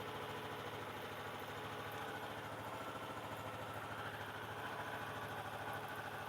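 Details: Renegade 125cc single-cylinder with newly baffled exhaust: steady idle putting along at about 200 beats a minute that keeps running when the ignition key is turned; the key won't shut the engine off, cause unknown to the owner.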